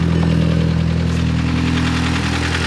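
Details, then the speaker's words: VW MK6 Jetta GLI, 250,000 miles, suspected stretched timing chain, on start: fast light ticking over rough low idle tracking engine speed; upper end noise, lifter tick suspected, possible fuel issue. "I think there might be a fuel issue it's definitely got some upper end noise but it"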